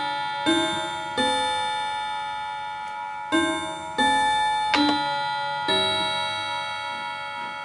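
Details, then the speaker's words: Antique Davison Bros London chiming clock after being switched from silent to chime and left alone: by about 3:00 it has caught up, clear even bell strikes in proper order with no skips; normal chime sequence. "okay and now what we'll find is it's all caught up by itself by around about 3:00 so you'll see the normal sequence"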